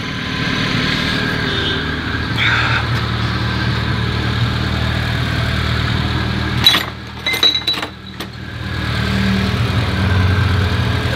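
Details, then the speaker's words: Engine at idle with an uneven whirring rattle at the front belt drive. Removing the accessory belts stopped the noise, and a screwdriver stethoscope located it at the water pump. The pump itself is sound and not leaking; the water pump pulley is worn. "así que evidentemente por lo que parece parece que el ruido viene de la bomba en la bomba de agua"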